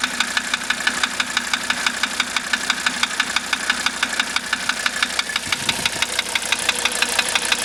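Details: 1985 Mercedes 300D diesel idling with diesel purge running through it: sharp regular knock about twice a second over steady idle; cause not yet pinned down, owner asking for help.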